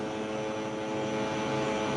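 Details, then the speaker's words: Coffee roaster hopper vibrator running normally while loading a roughly 300 g batch of beans: steady, even buzzing hum with a fine rapid texture and no knocks or surges. "okay you can hear the vibration that is actually to vibrate the hopper"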